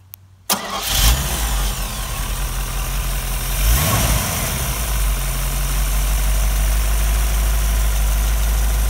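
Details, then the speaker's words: Model A Ford hotrod chassis with rebuilt, broken-in 1965 Chevy 283 V8, new Edelbrock carb, Pertronix distributor, quiet mufflers: quick crank, catches at once, settles into smooth, even, deep idle; good oil pressure; normal start and idle. "The engine's been broken in, no street miles, good oil pressure on idle, charging."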